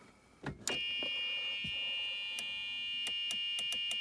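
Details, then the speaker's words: About 2005 DS golf cart forward/reverse selector, worn gear with lots of play; a few clicks then a steady high-pitched buzz as reverse engages; reverse warning buzzer working. "just bend that ever so slightly down and again in reverse and you'll have to listen to a buzzer"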